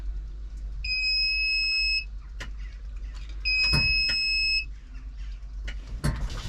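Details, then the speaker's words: Zetor Proxima CL 100 tractor at 3,000 engine hours, won't start after being shut off 10 minutes, fault codes shown, earlier AdBlue problems: two long high-pitched beeps about 2.5 seconds apart; warning buzzer on start attempt, cause unknown. "przy każdej próbie odpalenia ma chęci ale coś blokuje takie kody"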